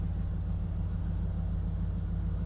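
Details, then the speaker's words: 1999 Dodge Durango after replacing the distributor pickup assembly, plugs, wires, cap and rotor over a recurring crank position sensor code: steady, even low rumble at idle with no misses, knocks or stumbles. Normal idle. "it actually uh runs pretty good whoa might blow the camera down there yeah she sounds like she's running good"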